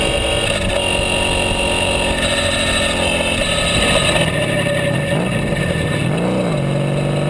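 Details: Sabre cafe motorcycle with new exhaust, carb mixture adjusted after running too lean and hot: steady strong exhaust note sweeping with throttle blips, no misses; resonance around 5,000 and maybe 9,000 rpm; runs well.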